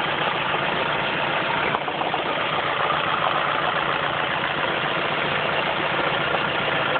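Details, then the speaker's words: Ford Focus at steady idle: light knock comes and goes, about two or three a second, sounding top-end; suspected intermittent top-end knock, not confirmed. "Now quiet, for the most part. And there it comes. Sounds like it's coming from the top end, and it's certainly top end speed."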